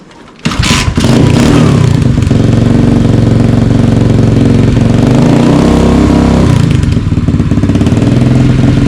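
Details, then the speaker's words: Cheapest Amazon dirt bike, newly built, throttle stop screw backed out for full throttle, still cold: starts with a bark, then settles into a very loud, steady, even single-cylinder idle with no knocks or misfire; normal cold start and warm-up. "start it right now real quick just so you guys can hear what it sounds like and then we'll go rip it around um it's very loud I'll let you guys know"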